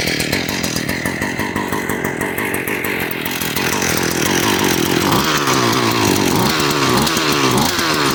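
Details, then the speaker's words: 2005 Yard Machines 21-inch lawnmower, about 20 years old, started cold on fuel with too much oil mixed in: a raspy, wavering buzz that hunts unevenly and smokes. It needs about 10 minutes to warm up. "So, when I always fire this up, it always smokes a little bit, and that's because I put way too much oil into the gasoline. So, it always smokes real bad."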